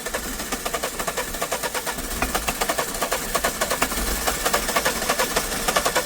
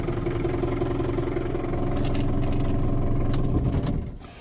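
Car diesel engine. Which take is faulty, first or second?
first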